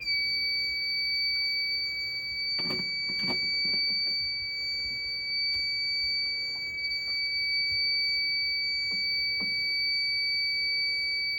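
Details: Fire alarm panel system test with real smoke in the detector, after all-point test and reset, panel bugged: high unbroken alarm tone sounding continuously over bumping and handling.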